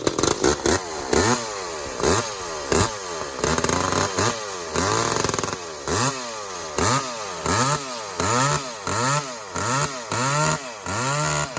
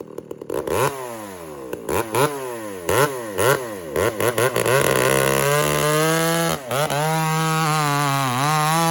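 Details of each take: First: Walker-ported 850 chainsaw, 32-inch bar, skip-tooth chain, on its second run with carb set rich for break-in: revved in short bursts about once per second, burbling four-stroking edge between pulls. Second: Walker-ported 850 chainsaw, 32-inch bar, freshly hand-filed chain with rakers lowered, running rich: revs up and bogs slightly on each cut, then screams steadily at full throttle; cuts cleanly.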